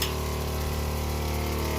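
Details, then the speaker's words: Cheap Chinese water heater in a converted vehicle, previously failing to light flame, working again after disassembly and reassembly with no cause found: steady, even low hum, no sputter; flame stays lit, hot water. "flamme alors vous voyez pas mais si la flamme fonctionne en permanence et j'ai de l'eau chaude voilà"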